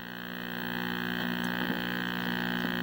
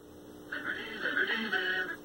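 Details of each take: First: 1960s Philco S-1262BK black-and-white vacuum tube TV: steady low buzz under the audio, changing and crackling as the output tube is wiggled; a bad tube socket joint, fixed by reheating the joint; intermittent audio buzz. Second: 1960s Philco S-1262BK black-and-white vacuum tube TV after reseating tube sockets and output tube and fixing a joint: program sound clean and clear with no hum or buzz; audio stage working properly.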